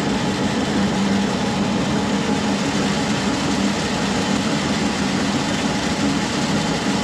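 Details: SIPMA roller grain crusher after a DIY repair welding short bead pieces onto a roller, with the gap adjusted: steady even drone with a constant mid hum, no knocks or rubbing. It mills corn smoothly and fast, with rollers perhaps slightly too tight; corn comes out nicely broken.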